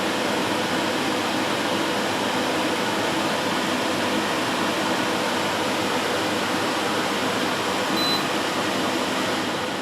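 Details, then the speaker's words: Amcor AC12 12000 BTU portable air conditioner in fan mode on high speed; steady, even rush of air with no rattles or ticking, smooth fan running normally. "So that's the fan mode at its low speed setting. Medium. And high."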